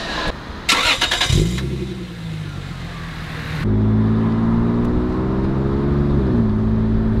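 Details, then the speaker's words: 1998 Lexus GS300 (2JZ-GE) with mufflers cut off as a temporary muffler delete: catches after a short crank, then a loud, raspy, open exhaust note climbs smoothly with revs; healthy engine, sounds sportier. "bad sounds a lot sportier now we just need to finish it"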